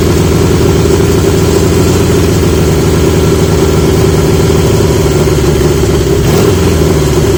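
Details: 1980 Yamaha XJ650 four-cylinder after fitting new (old) exhaust pipes; smooth, even burble with steady deep exhaust note and no ticks or knocks; much better, healthy running.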